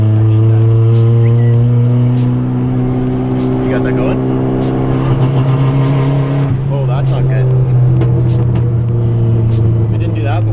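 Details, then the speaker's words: Stock Honda Civic on a raised-boost test while driving under throttle. Steady drone that stutters and bounces at one rev ceiling. Launch control, changed to 100, was cutting in even with the clutch out, acting as a rev limiter. "I don't think that's right dude it sounds like it's hitting the launch control"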